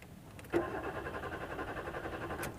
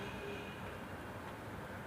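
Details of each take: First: Maruti Suzuki Swift Dzire: starter spins the engine evenly for about two seconds but it never catches; crank no start blamed on a faulty ECM with no communication. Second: Maruti Suzuki Swift Dzire with intermittent faulty-ECM no-start, cranked when check and security lights come on normally: the rpm needle rises and the engine starts, a steady even hum with no knocks, misses or stumbles; normal running.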